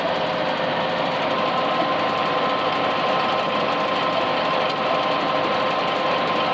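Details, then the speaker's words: Manure spreader drive belt gives a steady thin squeal over busy mechanical clatter, slipping because the beaters are jammed by too big a lump of barn slab loaded in; belt squeal from overload. "chunks you hear that belt squeaking that's the going to be the whole issue take a Jun stop I knew there was going to be a problem I put too big a lump in there"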